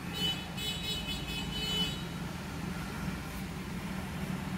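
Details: 2013 Kia Sportage 3 after replacing the AC compressor solenoid control valve for intermittent cooling: smooth engine idle with the compressor running steadily underneath, no knocks or squeals. AC now cold. Normal idle with AC running.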